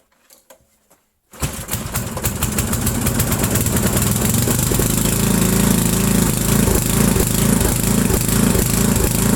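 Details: 8 hp Briggs & Stratton with remote primer, started on choke after sitting about 5 years, new fuel line and filter: faint clicks, then catches and roars to a fast steady full-throttle run; runs only wide open, carburetor needs cleaning.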